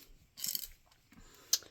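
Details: 2nd-gen Toyota Avalon power seat that won't slide forward or back: the motor gives short bursts of high, thin whirring with ratchety clicks but no steady pull, because the plastic drive gearing inside each end of the motor is stripped and needs replacement.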